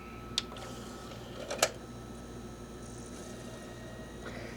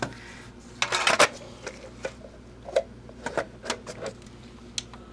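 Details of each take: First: Philips VAD6035/21 Xbox DVD drive after laser adjustment: faint steady spin hum with brief seek clicks; reads disc normally, fixed by the laser adjustment. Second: Philips VAD6035/21 Xbox DVD drive after laser adjustment to about 459: irregular soft clicks and whirring, repeated seeking, then gives up; fails to read disc, capacitors in the console suspected.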